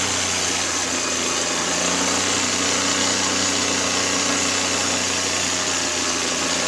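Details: Carbureted Suzuki Cultus with past intermittent misfire, after replacing CDI and fitting a Japanese ignition coil: steady even idle with constant hum, no stumbles or misses; engine running smoothly.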